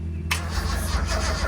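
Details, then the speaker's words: 1972 Datsun 240Z, L24 engine, long abandoned, spark plugs in: sluggish, labored starter churn with slow uneven turnover, run off a lawnmower battery with a very bad battery connection. "That was not a very fast crank, but it's also a very bad connection at the battery, and well, it's a lawnmower battery."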